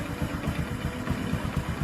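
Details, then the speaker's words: Honda Supra X5/Karisma 125 motorcycle with new NPP piston block, cold idle: quick regular tek-tek knock about four per second like a loose piston, vanishing when revved or once warm; typical piston slap at low rpm. "Nah, Guys, ini blok seher baru, ya. Mereknya NPP di motor Supra X5 ataupun Karisma, tapi masih ada suara bunyi kayak piston kendor."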